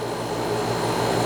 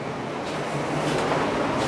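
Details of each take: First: Fridgemaster 12300 BTU portable AC with conventional compressor, heard from about eight to ten feet: a steady low hum with a buzzy edge swelling near the end as it purges moisture during drain-free cycling. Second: Danby 3-in-1 portable air conditioner, about 12,000 BTU with inverter compressor, on a 30 °C day: steady even hum with fan rush, 57–58 dB at the unit; normal quiet operation.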